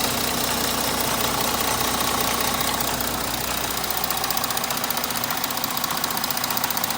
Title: Audi 3.0 TDI Motorgeräusche